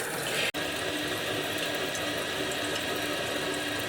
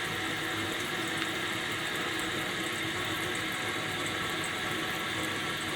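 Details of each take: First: Kohler toilet with floating-cup fill valve, adjustment screw deliberately turned to simulate a running toilet; constant hiss of water flowing into the tank that never shuts off, fill valve set too high. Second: Kohler toilet with canister fill valve, after turning the adjustment screw to stop constant running and flushing to check; steady hiss and rush of water refilling the tank with no squeal or chatter, fill valve refilling normally.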